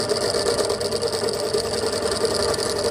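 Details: Pedestal stand fan brought in for loud noise, tested on a series test lamp; loud constant rattling buzz with a gritty, chattering edge over the motor hum when spun; loose fan motor bearing noise.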